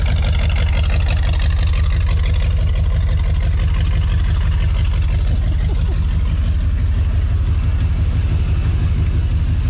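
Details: Ford F-350 that was cut in half, shortened and running again, driving in Drive: deep, steady, even beat at about 90 pulses a minute with no knocks or misses; healthy.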